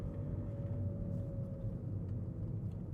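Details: VW Vento with the engine running: a faint steady whine holds one pitch over a low engine rumble, made by a worn belt tensioner pulley.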